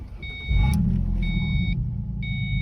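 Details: 2005-2009 Mustang 4.0 after a no-crank no-start fix, a bad PCM diode in the engine bay fuse box: door chime beeps steadily as the engine catches quickly and settles into a smooth, even rumble; clean, healthy start.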